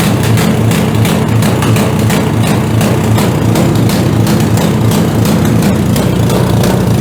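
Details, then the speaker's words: PowerSmart DB7006 snowblower, after slight idle screw tuning: steady even pace with low throb, no surging or dying out; running smoothly. "Running pretty decent there. Just had to tune the idle screw there just a little bit."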